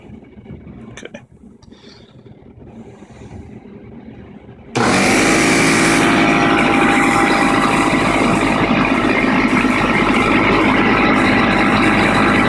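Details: Craftsman air compressor, lightly used and stored about a year, running after its pressure regulator was repaired with JB Weld: motor kicks on abruptly and holds a steady, even pumping drone with no stumbling as it fills the tank.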